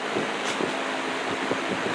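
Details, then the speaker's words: Old rusty table/box fan with side-mounted controls, running after its oil ports were oiled: soft smooth whoosh with faint motor hum, no squeal or scrape, quiet but throwing lots of air; shaft play remains and it still needs thrust washers. "So, just oiling it made all the difference there. Cool. It's quiet, but man, does it throw a lot of air."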